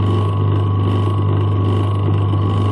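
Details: Century repulsion-start single-phase induction motor, old USA-made, running as squirrel cage after start, drawing just above its rated current: steady low hum with constant tone, no knocks, rubbing or growl; running smoothly and healthy.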